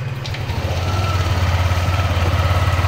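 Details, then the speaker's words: Yamaha NMAX version 2 scooter after ignition coil replacement: engine starts into a steady, even idle with low regular thrum, no longer unstable or stalling as before with the check engine light. "yan mapapansin niyo naging stable Yung kanyang idle yung takbo niya hindi na rin siya namamatay so yan pino na ulit yung tunog"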